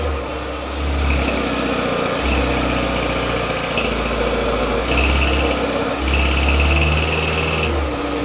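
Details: Kia cold start, about 110,000 miles and 8 years old: loud loose metallic rattle over fast idle for the first 2-3 minutes after start-up; turbocharger bearing found going bad.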